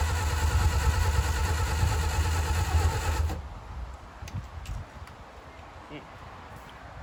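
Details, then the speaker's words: 1959 Reliant Regal Mk5/Mk6 three-wheeler unrun 20+ years, throttle at idle, full choke, fuel trickled into carb; low chugging about three seconds as it fires briefly, then dies; catches but won't keep running. "Nothing. Little fire. Okay, this could be it. She is close. So close."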